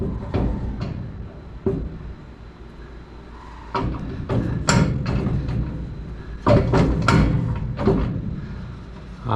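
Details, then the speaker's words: 1963 Chevrolet C10 rear end turned by hand under the truck: irregular heavy metallic clunks in bursts with quiet pauses; U-joints and driveshaft were hoped for, but play appears to be in the rear axle. "I don't think ready I don't think it's supposed to make this noise"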